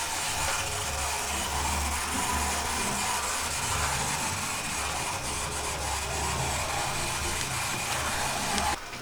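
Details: Oxford Rail Class 415 Adams Radial 4-4-2T model loco after greasing, oiling and a pickup adjustment, run at full speed: even motor whir with smooth gear hum, no catching or grinding, much quieter than before.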